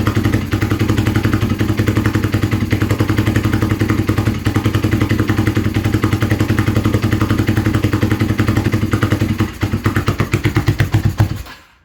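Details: Kawasaki KZ440 project bike, new spark plugs, choke on one side: lumpy, uneven firing around 220 beats a minute with stumbles and missed beats, then dies; rough running, fuelling suspect.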